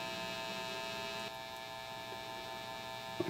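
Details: Late-1940s/early-1950s Gibson BR-6 tube amp, volume turned up: steady low electrical hum with a buzzy edge; not sounding right, voltages mostly okay, wiring doesn't match available schematics.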